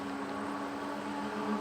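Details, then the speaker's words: E-bike with 20-inch wheels climbing a hill at 21–22 mph on pedal assist level five, full throttle, gear six: steady mid-pitched hub-motor whine rising slightly under load; normal. "you could hear the motor kick in you could hear it whine a little bit more it's okay over the top"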